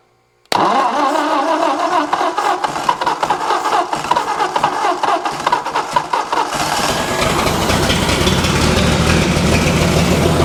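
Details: 1964 Ford F250, 223 six, jump-started on jumper cables: cranks and catches, then a lumpy, uneven idle with some cylinders pulling weaker. Compression is messed up, but it runs and doesn't sound horrible.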